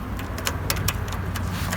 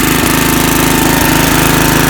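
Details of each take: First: Snapper Hi-Vac mower on trickle-charged battery: steady free-spinning starter whir with no cranking; the bendix does not throw out to engage the flywheel. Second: Snapper Hi Vac single-cylinder mower whose starter Bendix would not engage the flywheel, now started with a stronger battery: it runs strong and steady with an even beat and no stumbling. Normal running.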